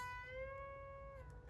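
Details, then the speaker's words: Fender Squier Affinity during setup, with new strings and levelled frets, bend-testing the B and E strings after action adjustment: a plucked note bends and rings clear without going dead or fretting out. Clean string bend. "and you can hear that the note doesn't doesn't go dead when you do a bend and there's no [Music] there's no annoying fretballs"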